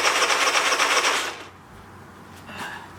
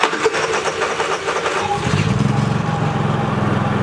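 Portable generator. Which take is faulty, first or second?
first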